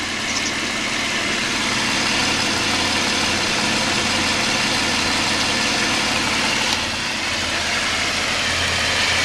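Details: Mitsubishi at warm idle after fixing fuel pressure loss that caused long cranks and rough idle; steady, even idle with smooth hum, no misses or stumbles; squeaky alternator noted, some pressure loss remains.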